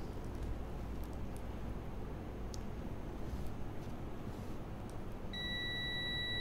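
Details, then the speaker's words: Tesca DMM-35T Bluetooth digital multimeter on continuity, probes in common and continuity jacks, testing a fuse: room noise, then a clean steady high buzzing tone holds near the end; continuity, so the fuse is good. "so as you can hear the buzzing sound means that this fuse is working"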